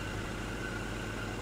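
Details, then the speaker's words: 1967 Dodge Coronet 440, restored 318 V8 with Holley Sniper fuel injection, automatic, dual exhaust, electric fan: low, even idle rumble with no misses, knocks or surges; almost zero vibration, a very smooth, steady, normal idle. "Almost zero vibration in that motor at all. Very, very smooth running car."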